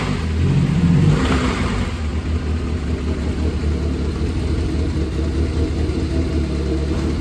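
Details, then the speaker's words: 2008 Dodge Caliber SRT4, abused, with a terrible noise from the front of the car. It revs up, then holds a rough, heavy drone with an uneven low rumble; the cause is undiagnosed and the engine is awaiting teardown. "right, if you guys remember this turd, it doesn't sound good."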